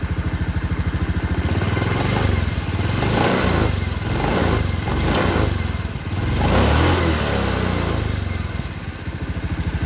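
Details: Honda Beat F1 scooter after CVT cover reassembly to cure a "srak-srak" scraping noise: revved up and down several times, smooth drive with no scraping rattle from the belt cover; transmission quiet.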